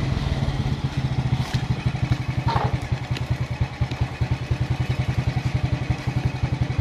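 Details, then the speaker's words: Suzuki Smash after fitting a new battery and an original regulator (kiprok), kick-started rather than electric-started: steady, even single-cylinder beat with no misses or stumbles; the engine now runs healthy. "oke mantap Saya yakin ini saya yakin bagus ya ini ya"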